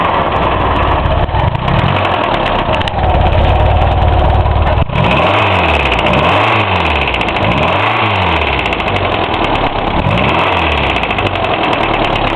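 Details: Hillman Imp engine, freshly reassembled, one of its first starts: rough idle with heavy repeating knock; bearings checked unworn, tappets within tolerance, plenty of oil, cause unclear.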